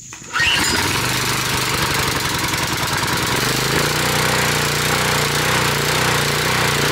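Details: Generac 2700 psi pressure washer engine just after carburetor replacement; catches after brief pull and settles into steady, even run with no misses or surging: normal running.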